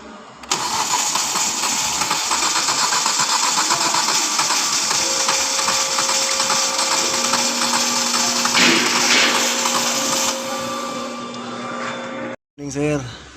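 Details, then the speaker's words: 2014 Ford EcoSport with hard starting and overheating, radiator already replaced: the starter cranks unevenly at about 2.5 beats a second without firing. Compression reads 100, 100, 100 and 80 (cylinder 4), with water in cylinder 3; head gasket or head suspected. "I check the compression. For number 1, 100. Number 2, 100. Number 3, 100. Number 4, 80."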